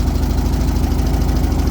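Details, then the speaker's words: 1978 VW Super Beetle, Bosch L-Jet fuel injection, just restarted after work, generator belt off: loud low chugging rough idle with uneven beat and pops, mist of raw fuel blowing out; cracked boot hose suspected air leak. "I don't know if you guys can hear it, too. I can I can see it. It's like popping a bit. blowing essentially raw fuel on my pants."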